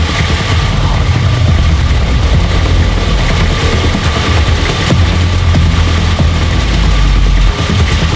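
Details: Nissan GQ Patrol diesel after first start in 3.5 years, no coolant in the radiator: heavy, steady clatter droning at constant pace despite intake covered and fuel disconnected; engine won't shut off, cause unknown.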